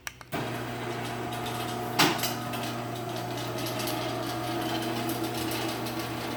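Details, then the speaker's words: Sears chain-drive garage door opener after a new sprocket install: steady motor hum with a fine loose rattle as the chain runs; the trolley is rattling and vibrating on the rail. "You know what, trolley rattling is annoying, so I'm going to disconnect the trolley and run this without."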